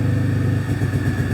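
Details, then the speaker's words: Possibly 2006–2008 Pontiac G6 (complaint: runs rough, check engine lights, antifreeze smell) idling during a scan-tool cylinder balance test: steady low idle with an even beat and only a slight wobble; all injectors working, good pulse width. "seems like we got good injector pulse width so that's pretty cool"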